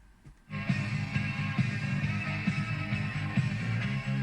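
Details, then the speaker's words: Volvo CR-702 head unit tape player in the car after its drive belts were replaced: music plays with a slow uneven pitch wobble (wow and flutter); heads possibly need cleaning, cause unconfirmed. "Still doesn't sound very good though, it's a bit wobbly. Maybe we need to go in and clean the heads."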